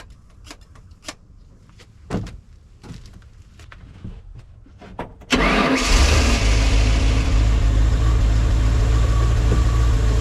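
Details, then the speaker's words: 1989 Bayliner Capri 1950 boat, OMC Cobra (Ford) 5.0L engine, first start after replacing mechanical fuel pump; a few clicks, immediate catch, steady even idle, deep exhaust. Normal start and idle; small carb fuel leak noted. "It was a real relief to hear that engine run."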